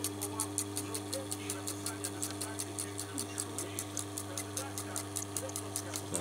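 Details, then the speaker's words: Old Chinese reverse-osmosis system (about 7–8 years, CB5 controller) after pump rebuild: low-rpm pump starts with steady low electric hum and soft chuffing pulses about four per second, building pressure normally; seems to work under heavy load. "Включилась помпа. Так, слышно, начало накачивать. Чавкает, шелестит."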